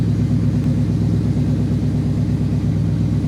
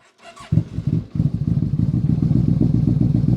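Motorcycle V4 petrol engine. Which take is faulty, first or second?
second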